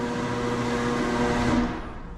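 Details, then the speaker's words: Cheap linear garage door opener after servicing, chain tightened and rollers and hinges lubricated; steady motor hum with faint whine fading as the door stops, no rattle or vibration; normal opener motor hum. "Only thing that's loud is that freaking motor, but that's just because it's a cheap garage door opener."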